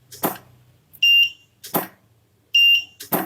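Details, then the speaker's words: Godox SK400 studio strobe after repair of E3 error and blinking fault, at 1/1 power: sharp full-power pops with a steady ready beep about a second later, louder than the soft pops before repair; normal firing and recycling. "suaranya juga beda ya teman-teman"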